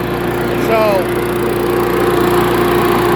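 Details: Small petrol engine on a chipper/shredder, started after new fuel and a carburetor cleaning, choke set halfway: it runs steady and strong with an even hum, no misses or surging, and sounds healthy.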